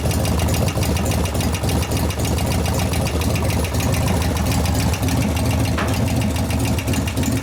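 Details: 1988 Harley FXR V-twin, warm, at idle: a sharp, fairly regular tick over the lumpy beat from a rear hydraulic lifter not pumping up. Confirmed as the lifter, not the valvetrain; knock increases as it warms after a zero-lash pushrod adjustment. Hydraulic lifter knock.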